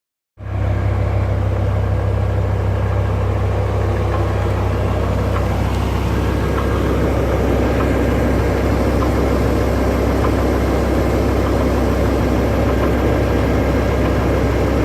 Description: Anyone heard this slow knocking sound before? Suspecting Vanos pump. The sound does not appear before the engine is warm. Knocking speed increases a bit with RPM.